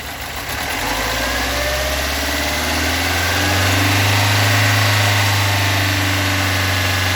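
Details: Toyota AE86 with stock bigport blue-top 4AGE, no modifications, about 195,000 km on the odometer: warm petrol engine idling roughly, low hum with a regular knock about three times a second; cause not yet located.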